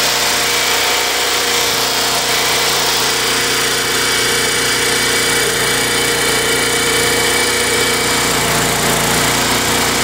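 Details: Craftsman Eager 1 mower, Tecumseh 92 cc engine, after surging repair using Mechanic in a Bottle fuel additive: smooth even buzz, no surging or hunting; runs steadily, repair judged successful.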